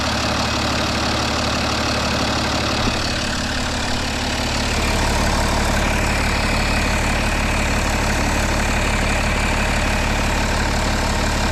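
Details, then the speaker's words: BMW 330d N57 3-litre six-cylinder diesel after new O-ring on intercooler outlet hose for a small boost leak: steady even idle, no misses, hunting or hiss; smooth and healthy, normal idle. "Smooth as a kitten. Look at that. I always say to myself, imagine just having like a beautiful big 3-litre engine. Whee! She's running so smooth, smoother than it ever has."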